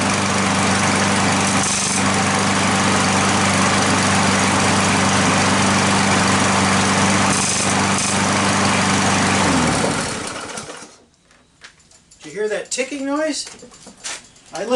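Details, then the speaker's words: Curbside push mower: steady small-engine drone with a faint quick tick about four per second, ticking and shaking when the handle is pushed down but not when lifted; loose engine mount bolts let the engine shift. "up the handle it didn't tick but when i pushed down the handle it ticked"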